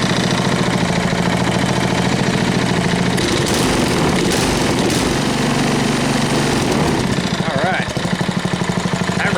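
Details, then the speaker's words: Tiller single-cylinder petrol engine after swapping in a carburetor from another engine, half choke: steady, even idle with no misses or surging; running smoothly after the fix. "much better sound good"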